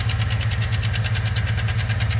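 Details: 2013 Chevy Suburban V8 idling while warming up: sharp steady tick about seven per second over the rumble, lifter noise said to be caused by low oil pressure; it also has a cylinder misfire despite new plug, coil and injector.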